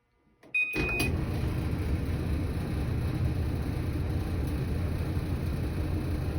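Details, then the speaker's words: Old Whirlpool Duet dryer after installing a roller, pulley, belt repair kit without replacing the scratched bearings; steady low rumble, even drone, no clear knock, somewhat quieter but same noise remains; dryer running noise. "we'll see it still makes the same wonderful noise"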